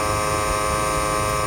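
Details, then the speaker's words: 2008 Toyota Prius AC compressor at 6000+ rpm, low on refrigerant charge (splashing sight glass): steady high-pitched electric whine with a beating, grinding edge as it winds up, starved of oil and refrigerant cooling. "so you hear that noise the compressors winding up that high to not satisfy its command"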